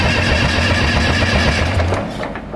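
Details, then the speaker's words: Case 830 tractor diesel, long stored in a barn: slow even cranking with no firing for two seconds, then dies away; crank-no-start because injection pump plungers are hanging up and not pumping. "we got no pumping zero pumping that ain't pumping at all none of them are pumping now it's down yeah it's these are hanging up"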